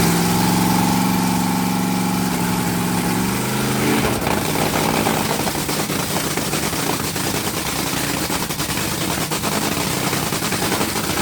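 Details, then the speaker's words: Rebuilt Top Fuel dragster engine switching from alcohol to nitromethane: a smooth tone turns after about four seconds into a rough, crackling, lumpy idle. Sounds like a healthy nitro engine. "No, changing fuel. You'll hear the difference. You'll hear the difference."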